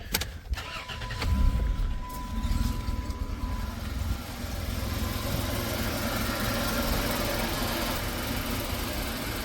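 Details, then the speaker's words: 1990 Chrysler New Yorker after drive belt replacement: cranks, catches quickly and settles into a steady idle with no belt squeal; earlier squeak is fixed. "no more squeak right on all right so that's good"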